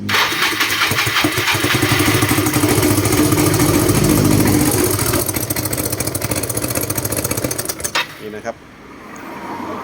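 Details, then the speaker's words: Yamaha Mio (Fino) scooter hard to start, needs full throttle: rough running, pops from exhaust and carburetor, then dies; suspected slack cam chain throwing cam timing marks off. "คันนี้ก็มีปัญหาเรื่องสตาร์ทติดยากนะครับพอสตาร์ทติดแล้วมีเสียงดังปุ๊กปั๊กๆปั๊บริเวณพ่อไอเสียแล้วก็คาร์บูเรเตอร์นะครับผม"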